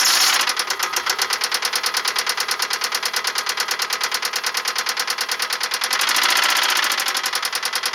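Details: 1999 Toyota Camry Solara 2.2 SE engine running: sharp, rapid, evenly spaced knocking that stays steady throughout; a heavy bottom-end knock, suspected rod knock.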